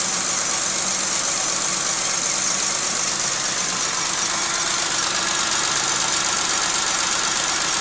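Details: 1995 Geo Metro, rebuilt engine and head, running rough with visible shaking: uneven, loping idle with an irregular stumble about three times a second; cause found to be no compression in cylinder 2 from stuck lifters.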